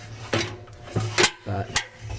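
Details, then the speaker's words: Early LG Intellowasher, drum turned by hand: uneven rasping scrapes every half second as something jams against the outer edges; wire caught on the drive plate, owner suspects a spun rear bearing shed plastic. "you can tell something's actually jamming against these outer edgings"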